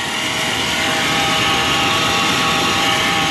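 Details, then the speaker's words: 1995 Chevrolet Silverado 1500 4x4 at idle: a steady high whir with a thin ringing tone from the AC compressor pulley. The compressor is suspected of running dry and needing lubrication; the engine itself runs well. "C'est plutôt la poulie du C'est là que le bruit provient, c'est le compresseur."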